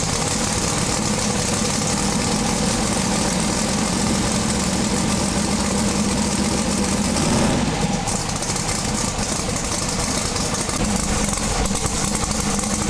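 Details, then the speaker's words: Twin-turbo big-block V8 pro mod drag car on methanol, after swapping injector sets. A loud, lumpy idle with an uneven beat, acting rich, with one cylinder not running at all. Misfire from injectors plugged by methanol sitting in them for 2 years. "yeah one of them's not running at all so after all this work and you know unfortunately we have a bunch of injectors that are plugged plugged up from sitting with methanol in them for 2 years so they're not terribly happy"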